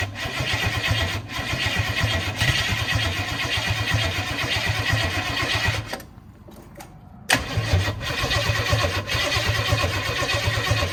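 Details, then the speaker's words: Holden HZ one-tonner engine, first start in six years. It fires and runs rough, drops out for about a second, then catches again; coil only gets power with the key held on start, so a hot wire is planned. Battery possibly flat. "ah that's because we've got that gremlin so before i pull this car down unless i held the key on the start position it wouldn't continue firing"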